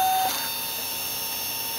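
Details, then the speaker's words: 1995 Ford F-150 at key-on, engine off, after sitting cold: thin, steady high fuel pump whine that keeps going instead of a few-second prime; owner says it is an early sign of a failing EEC-IV computer. "so we'll just turn the key on without starting it here the fuel pump just running continuously"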